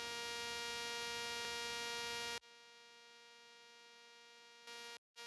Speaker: do you get a weird buzzing noise when you're recording with the rode wireless go 2 into a sony camera such as the a7 s3 a1 or sony fx3 the noise i'm talking about sounds a little like this